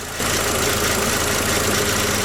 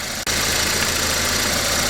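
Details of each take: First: VW Passat B5.5 with lack of power steering, idling: steady high whine over the engine, owner suspects low fluid; power steering pump whine. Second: VW Passat B5.5 with power steering problems, after repair: steady, even engine idle with a soft hiss and no power steering pump whine, much quieter; a slight pump whine remains in big turns.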